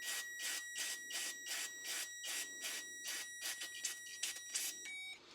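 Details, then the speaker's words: Honda CR-V fuel injector off the car, pulsed with 12 V from a Power Probe during DIY cleaning: quick evenly spaced bursts about two or three a second with thin tone; injector clicking open and closed normally. "so again we got the one Probe on the ground side and then this side's over here and then we're just applying power you can hear the injector clicking just a little"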